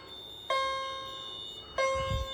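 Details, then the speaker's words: Fire alarm chime, jumper set to vibrating continuous rather than single stroke, during a pull station test; two bright ringing strikes about a second and a half apart, each fading slowly; sounding normally. "I forgot to mention this is set on continuous chime. There's two settings on the back by a jumper that can that uh determines if it's going to do single stroke or vibrating. And it's set on vibrating continuous."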